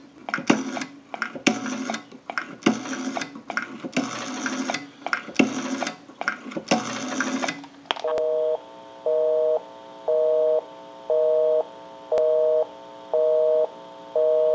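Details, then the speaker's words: Repaired and converted wooden JYDSK wall crank telephone, final checkout calling a busy number: clicky dialing bursts, then steady two-tone busy signal pulsing about once a second; phone and line working normally. "We'll call my number and it'll be busy. Give you some dial tone. And we'll make that call."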